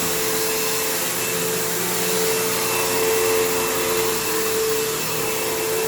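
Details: Kenmore PowerPath System vacuum on living-room carpet, just acquired: steady high motor whine with a wavering rough edge and a long wind-down. Worn motor; the brush roll needs work and the loose, slipping belt needs changing, so it needs a basic service.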